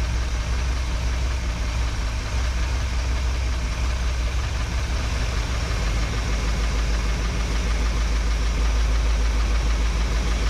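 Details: 1961 Chevrolet Parkwood V8 with new exhaust, mixture screws tuned by ear, idle dropped to about 650-700 rpm: low, steady burble with no misses or knocks; normal idle.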